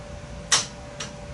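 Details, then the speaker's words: Clearpath brushless servo motor on a mill auto-tuning its constants, turning the shaft a little at a time; two sharp clicks about half a second apart as it takes up drive backlash, normal. "the backlash in the uh system uh when it hits the limits of the backlash you you see it uh you hear it make a click"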